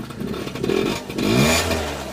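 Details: Peugeot Speedfight two-stroke scooter in a cold workshop, after fuel filter work and retaped wiring; electric start failed, so kick-started: catches and revs crisply with an even burble, no stumbling, lots of smoke; normal start and run.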